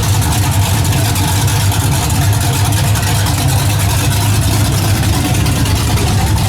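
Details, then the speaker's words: 1981 Camaro V8 just after top-end swap (roller cam, aluminum heads, new intake), open headers, timing and carburetor not yet set: loud, lumpy burble holding a steady beat, no knocks or misses; normal idle. "But I ain't got the exhaust on it, it's still open headers. But so far, sounds pretty good. I ain't set the time on or adjust the carburetor or nothing yet, but it's pretty close."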